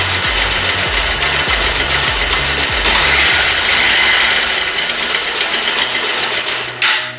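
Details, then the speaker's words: Bajaj Pulsar idling with the valve tappet adjuster cap (10 mm) removed: a hissy mechanical clatter of quick regular taps from loose tappets, adjusted by tightening the screw with a flat screwdriver. "इसके बाद जैसे ही मैं engine को start करूंगा आवाज में से एक बहुत ही सुरसुरी सी आवाज आएगी सुन सकते हैं"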